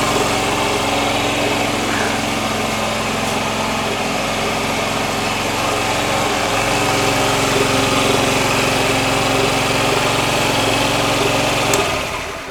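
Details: Honda Ruckus scooter being checked for a starter problem, running on a fresh battery: electric start, then a steady, even idle buzz with no misfires. The fuel pump works.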